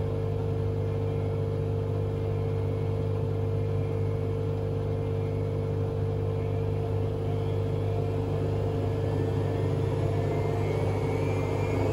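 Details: Hotpoint Aquarius WMA32 washing machine on a fast spin test: heavy steady rumble with droning hum. Owner suspects broken drum bearings or possibly a broken spider. Loud rumble during spin.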